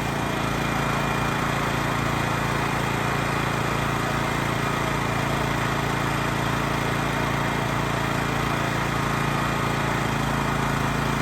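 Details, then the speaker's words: Honda EX1000 1,000-watt generator running under 250 W light load, frequency between 50 and 60 Hz: steady, even buzz, no hunting or surging; normal running. "So this light's a 250 load. It's a 1,000-watt generator, so we're about quarter speed. I think the idle, or I think the engine speed's perfect."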